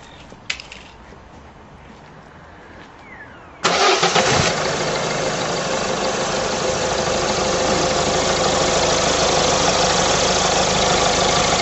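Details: Citroën engine started for diagnosing power steering pump bearing noise: quiet background, starter catches and engine settles into a steady, even idle with no knocks or squeals; normal idle.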